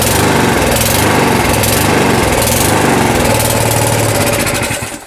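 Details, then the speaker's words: Small single-cylinder lawnmower running poorly: engine note wanders fast and slow instead of holding steady, hunting; suspected lack of fuel or air, not confirmed. "so um I think you can hear the issue there it's a engine sounds a little bit erratic it's so fast and slow and uh sometimes I call that um hunting"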